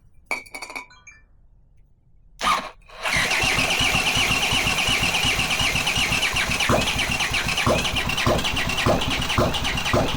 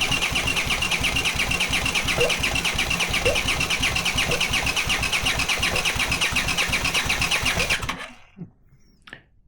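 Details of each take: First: Honda CX500 engine on bench stand, no exhaust, coolant or oil filter, after swapping crossed ignition coil leads; catches after a few cranks and settles into a steady, even idle with regular firing; starts cleanly. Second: Honda CX500 engine on a bench test with no exhaust and no cooling: even starter cranking near three compressions a second for eight seconds, fuel coming out of the cylinders, no firing; spark present but no ignition.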